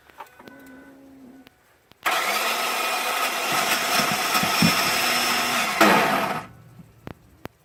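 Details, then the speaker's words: 2005 Ford F-150 5.4 with no crank: key on gives about four seconds of harsh metallic grinding without cranking, then stops; starter seems to engage slightly then disengage. "Now the engine's vibrating. You know what I think that is? What? The starter's engaging a little bit to try and start it, and then it disengages."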